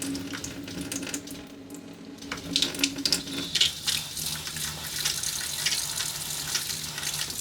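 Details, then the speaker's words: RV fresh-water pump in a 2023 Airstream Globetrotter after installing an intelligent pump controller (IRVWPC2): steady, quiet low flow with only a faint pump hum, no surging or banging as before; pump runs smoothly. "it should be a lot quieter less banging of the yeah it's very nice much smoother flow at low"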